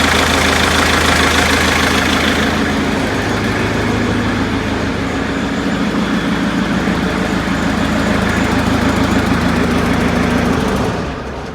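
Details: Perkins 4.154 (owner unsure, maybe 4.152/153) diesel in a 1980/81 Bobcat 843, with bench-tested injectors and an electric fuel pump replacing the mechanical one: loud clattering idle with a shaky, uneven beat. Rough running that still shakes; all cylinders firing with similar exhaust temperatures, cause unclear.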